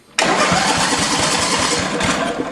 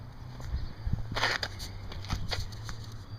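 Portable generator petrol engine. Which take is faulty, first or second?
second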